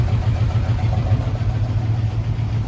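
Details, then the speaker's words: Jeep AMC 327 V8 idling after new exhaust manifold gaskets and flanges. Deep, steady, even burble with no ticking or puffing, purring and quiet. The exhaust leak is fixed, but a separate knock found earlier remains unidentified. "And I would say that was a huge success, because this sucker is purring. It is quiet. And it sounds pretty dang good."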